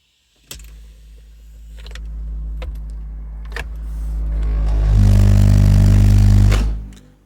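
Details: Car audio: every time a speaker is moved, the subwoofer booms uncommanded. A deep droning rumble surges up, holds loud for a couple of seconds, then cuts off, as if driven at full power; cause unknown.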